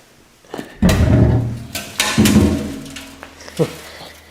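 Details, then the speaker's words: Removed fuel tank from 1972 Datsun 240Z, sending unit still in, before rust treatment; tipping it gives irregular rushing rattle and thuds like a rainstick as loose rust flakes slide inside, needs deep cleaning. Rust debris rattling inside fuel tank. "Just needs a good deep cleaning. It does kind of have that rainstick effect. Now, if I turn it up, you'll kind of hear it."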